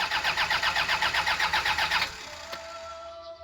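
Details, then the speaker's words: Toyota LiteAce with 2C diesel, cold first start after nozzle cleaning: strong, even cranking about four compressions a second that stops after two seconds without catching. Hard starting caused by blown glow plugs. "Ayan Ayaw niyang mag-start kaagad pero malakas naman ang kanyang redondo pagka nai-in ng nole noon 6 seconds lang nag-i-start na one click pagkatapos natin magpalinis ng nole kinabukasan ganyan na"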